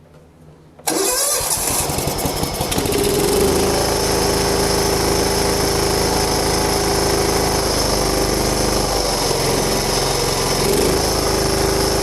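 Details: John Deere Hydro 175 lawn tractor, previously not running, after replacing a wrong, soaking-wet BR8ES spark plug with the correct BR5ES: short crank, then catches and settles into a steady, even run without stumbling.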